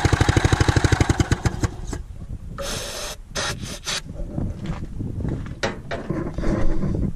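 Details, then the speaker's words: Gas-powered Columbia ParCar golf cart that sat for years, on a new temporary fuel pickup tube; single cranks with sharp pulses, then ragged uneven bursts that stumble and recover; sputtering rough running, carburetor issues suspected, electric fuel pump considered. "definitely have carb issues but hey we know it's worth fixing so i think that's a good start"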